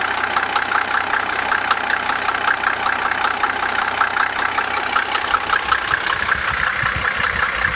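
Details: Mercedes OM603 diesel idling with a sharp, regular knock, about two to three raps a second, over the clatter; cause being investigated: engine knock at idle.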